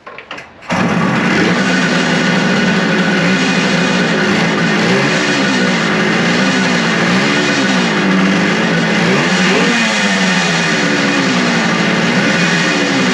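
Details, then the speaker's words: Suzuki two-stroke motorcycle after second carb cleaning, both cylinders equally warm, idle throttle adjustments thought too low; buzzy revs surge and sag unevenly, running rough and hunting; owner unsure if starving for fuel, opens throttle slightly. "I don't know if it's starving for fuel. Let's open that sucker up just a hair more."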